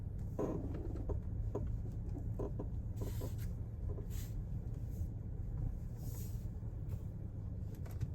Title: Audi A4 B9 squeaky noise when turning/ parking/ bumpy roads.